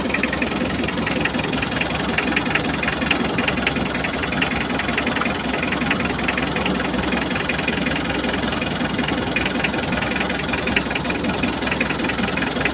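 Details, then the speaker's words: L300 diesel with a rough running engine, lost power and high fuel use, running while injectors are checked one by one: an uneven idle with a loping knock near two beats a second; the no. 3 injector nozzle appears clogged and no. 4 won't spray. "Nah, sekarang kalian bisa lihat nomor tiga, teman-teman. Sepertinya bagian noselnya tersumbat."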